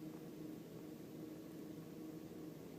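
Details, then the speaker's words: 1999 Volkswagen Beetle, warmed up with coolant at about 135 degrees indicated: quiet, even idle, still slightly low. Smooth, with no misfire detectable by feel or ear; normal warm idle. "but everything's running normally it's smooth um there's no misfire that I can detect just uh with my feel and with hearing it"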